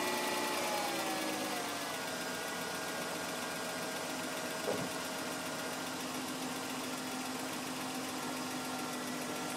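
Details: BMW M52 engine at idle: faint uneven ticking, about four per second, over steady hum and hiss; strange engine noise, source unknown.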